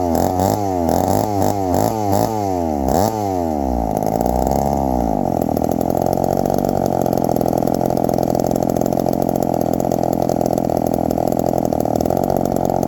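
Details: 1972 Remington chainsaw after the idle screw was adjusted; a few revs rise and fall, then it settles into a steady, even idle without stalling. The owner is happy with the idle.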